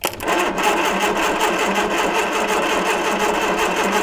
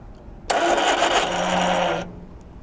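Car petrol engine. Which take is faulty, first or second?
first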